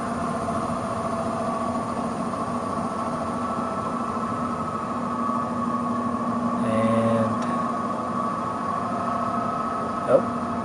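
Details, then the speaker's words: Existing furnace blower motor during a heat pump install: constant hum and whir with a rough surge, its speed dropping on its own from high to medium-low; failing blower to be replaced. "is the sound of a very bad blower so we are going to change that out"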